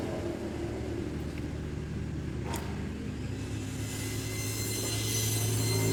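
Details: Honda Beat FI scooter that had total ignition loss, after jumpering the faulty Fukukawa regulator/rectifier (kiprok) wiring: low steady engine note running evenly, revs creeping up near the end; now starts and keeps running.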